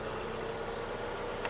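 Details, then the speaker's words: 2007 Volkswagen Golf Plus, 1.6 MPI petrol, manual gearbox, 212,000 km, single owner, freshly imported from Germany; starts instantly, quiet, steady idle with no ticks or misfires, no smoke. Normal idle. "заводиться з півтику працює тихо рівно не димить не троїть"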